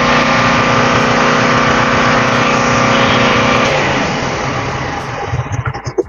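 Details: Marpro diesel welding generator test run before shipping, an even diesel clatter at constant speed with no misses or knocks, then shut down and coasting to a stop; healthy.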